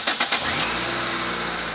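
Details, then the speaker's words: 14-year-old Nissan Sentra with 208,000 miles, started after re-tensioning the drive belt and tightening the pulley: three quick cranking pulses, then an even idle with no belt squeal; the noise is gone, normal start. "the noise has gone away now granted this is an old nissan satra it's 14 years old and 208 000 miles on it"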